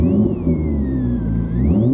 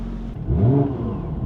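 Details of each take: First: Alternator whine through the stereo speakers of a Porsche 996 911 Turbo after a DIY head unit, amp and speaker install; pitch rises with revs. Owner suspects a ground issue and plans to move the amp ground. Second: Porsche 996 911 Turbo, over 20 years old, after a stereo upgrade with a Kenwood amp: engine blips and falls back cleanly with no alternator-type whine following revs through the speakers, after the amp ground was moved to an unused ground point.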